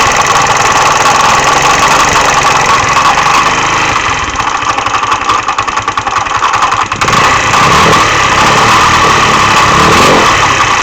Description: MD 150T-6 scooter sounds like a clatter or knock inside the engine. There is no lack of performance, just the clatter noise.